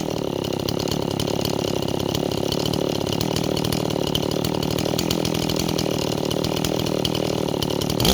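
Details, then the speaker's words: Stihl 026 chainsaw idling rich with a burbling, uneven four-stroking beat and muddy tone, loading up on fuel at idle; saw bogs in wood, running a little rich. "neighbors as our saw loads up you hear that that's the saw loading up on fuel"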